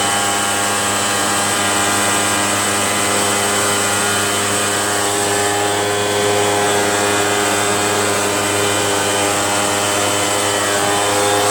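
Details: RedMax EBZ8050 gas backpack blower two-stroke after new piston rings fixed no compression (rings very tight, hard pull, hard start): steady high-pitched drone, even buzz and whirring fan at constant speed; running healthy with compression restored.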